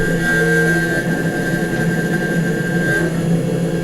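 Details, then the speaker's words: Nomad 883 desktop CNC mill cutting a small test gear with 1/8 or 1/6 inch end mill: steady spindle whine with buzzing, humming vibration riding on the cut; edges still look okay. End mill chatter. "the good news here is that the edges look pretty good I mean you can hear there's chatter but the edges look okay"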